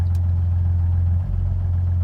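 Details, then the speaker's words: 2000 Jeep WJ at idle warming up, low petrol idle with brief stumble, tach bouncing and RPM slowly dropping; misfire from failing crankshaft position sensor, fixed by replacing it with Mopar part. "there you just saw it bounce that is a misfiring right now so right here's an example of your jeep's doing this it's definitely your crank position sensor"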